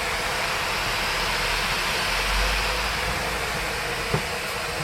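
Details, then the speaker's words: HP Envy 15-ep0008na 2020 laptop with RTX graphics: after a crash during video-editing playback in NCH Videopad, the cooling fans kick in at full speed with a very loud, steady rushing hiss, "like a steam engine". "okay the fans just kicked in they are very loud [Applause] if you can hear them"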